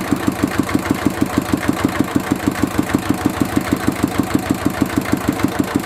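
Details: Mitsubishi D-series single-cylinder diesel idling after repair of fuel leaking into the oil sump and white smoke (pump plunger, valve and seal replaced): even chug about two firings a second, steady, no misses or rattles; normal idle.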